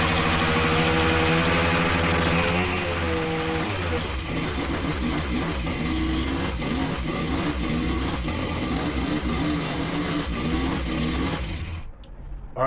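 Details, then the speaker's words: Honda Dio two-stroke scooter just started for the first time after clearing blocked jets and fuel starvation: buzzy revs drop back to a steady, clean idle of a few beats a second with no stumbling. "so it is running now going to take it for its first actual ride"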